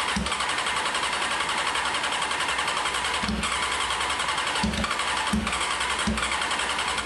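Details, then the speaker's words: 1995 Honda CBR F3 first start, wet plugs, fuel spraying everywhere, no muffler: loud raw idle thumping unevenly at steady speed, still idling; rich running. "It's shooting [ __ ] gas all over the place. Can't believe it's still idling."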